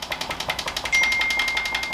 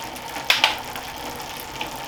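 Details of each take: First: Planet X Pro-Carbon bike with the front end bounced: a quick series of light, tinny knocks, about ten a second, from headset play (head knock). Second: Planet X Pro-Carbon road bike in the workstand during a gear check: bursts of fast, even freewheel ticking with clean gear changes and no grinding or skipping. The gears work, though the rear shifting is a little sticky.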